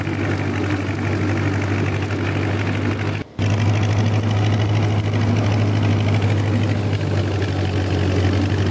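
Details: John Deere 2010 tractor after a welded PTO gearbox housing repair, shredding grass with a bush hog: steady low diesel drone under load, mower turning evenly, no gear squeal or grinding; PTO healthy.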